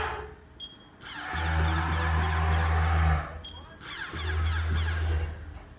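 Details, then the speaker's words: Haas VF1 CNC mill after a gearbox rebuild, jogging the X axis, which also throws phasing and servo-error-too-large faults: loud low hum with a rough whirr starting and stopping with the axis; noisy, cause unclear. "I wonder if I can get it to do anything now if I jog it about. So you see X is a bit noisy."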